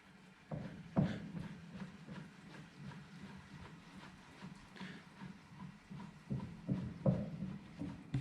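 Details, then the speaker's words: Smithy CB-1220XL lathe carriage being hand-run along the bed after oiling the ways. Low, uneven thumping because the gib is not yet adjusted tight enough on the bed. Movement is tighter in one direction than the other. "already loosening up you can hear it thumping where i haven't got it adjusted tight enough on the on the bed yet"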